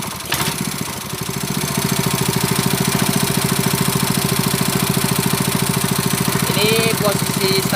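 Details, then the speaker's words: Honda GX160 5.5 hp water-pump engine, unused a year, black fouled spark plug cleaned and refitted; even single-cylinder idle about 3.5 beats per second, no misses, the slight 'dut' showing the governor adjusting speed; runs better. "It feels better . The 'dut' sound is so It indicates that the governor is still functioning So it's a function the governor is like that He adjusts the engine speed as needed"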